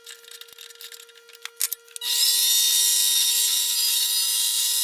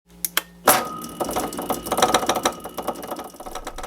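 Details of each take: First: Mini lathe after fixing its noise caused by a loose motor mount, turning 6061 aluminum (reducing and facing): steady high-pitched cutting hiss about five seconds over even motor hum, no chatter or knocking; cutting cleanly. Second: Mini lathe motor running: a few lone clicks, then a busy irregular clatter as the motor rattles loose on a stripped mounting stud of its cheap motor mount.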